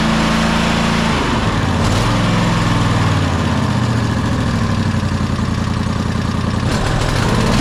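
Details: Toro Timecutter SS5000 zero-turn (model 74731), Toro-branded Loncin engine, after carburettor replacement: steady even drone with low chugging beat around three a second, no misses; running smoothly.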